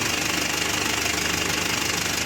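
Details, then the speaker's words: Mitsubishi L300 Euro4 diesel with check-engine light and hard shifting, at idle: rapid, even transmission rattle that persists with the clutch pressed. Mechanic suspects air in the secondary clutch cylinder, causing stiff shifting. "Tingnan nyo, hindi mawawala yung ingay niyan. Ano pa rin yung ingay niya? Malamang may hangin ito. Yan yung dahilan kaya matigas ikambyo."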